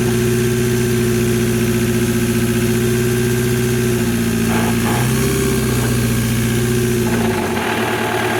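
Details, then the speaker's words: VW Mk1 Rabbit with a swapped TDI engine, just after the injectors were bled and while injection timing is adjusted: hard metallic clatter at idle, loudest at one spot, then it smooths out; intermittent rattle, owner suspects valves touching pistons, unconfirmed. "It was doing it at idle and I take it off idle and I go away and it was loudest from like right here. It sounds like the valves are touching the pistons or something and then it goes away."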